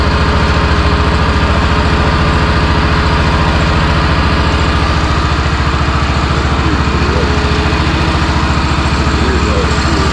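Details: Honda RT5000 4WD tractor after reassembly, started on choke with plastic fuel tank, throttle cable loose: steady even chug about 3.5 firing pulses per second at idle, no knocks or misses; runs good.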